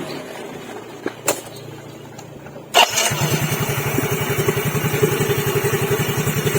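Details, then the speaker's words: Yamaha Fino CVT scooter after repairing a worn, shrunken crankshaft journal without engine teardown: starter whirs, engine catches and settles into a smooth, even idle with no knock or rattle, meaning the press fit is good. "okay, E, the sound is smooth and normal, there's no noise, it means the pressure is good"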